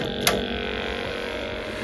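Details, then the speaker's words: Boiler, hot water on: smooth, steady fan hum with even tone, no rattle or bearing rumble; normal fan operation, sounds much better than before. "Moment of truth, just bang it on, turn the hot water on. So just put the breaker back on. That sounds so much better, so much better."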